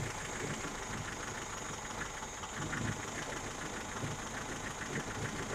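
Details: Lada Niva 21213 with jerking at small throttle openings: uneven, lumpy idle with stumbling beats and a light ticking layer, a misfire linked to valve clearances.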